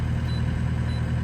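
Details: Small digger diesel first started after bleeding the fuel system through the lift pump and filters, left running to warm up before its 250-hour service. Even, steady low rumble with no knocks or misses; the idle sounds healthy.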